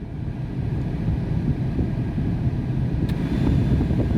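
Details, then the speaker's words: Tata Tiago cabin blower at full speed, heard inside the cabin: steady heavy rushing roar, no rhythm or grinding; loud by design, not failing. "तो ये मैंने blower को एकदम full पे कर दिया है, और ये जो ब्लोवर है ये इतनी कुछ नॉइज़ करते हैं, बाकी गाड़ियों में ये चीज़ नहीं मिलेगी आपको, ये टियागो में देखने को मिल जाती है।"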